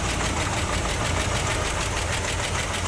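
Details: 1966 Cadillac DeVille with 429ci V8, 3-speed automatic, idling: fast, light metallic clatter over steady rumble, sounding like valvetrain noise; owner suspects oil pump not getting enough oil to the valves, not confirmed.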